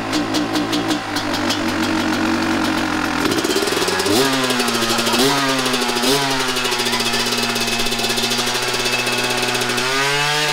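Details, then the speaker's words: 1998 Kawasaki KX250 two-stroke, rebuilt but running poorly, before repair, started on held choke with some throttle: revs jump and hang high instead of settling; air leak suspected past crankcase seals; runaway idle. "that was at idle woo yeah I told you it's was bad for it to run it got that high with zero throttle opening it has to be air leak pulling air from somewhere"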